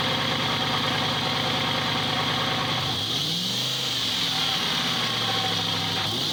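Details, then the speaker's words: Subaru idling, recorded close under the oil pan while checking for a tick that had earlier gone away (oil full but looks bad): even, steady idle with a smooth hum, no tick or knock heard; sounds fine. "I don't know. Sounds all right."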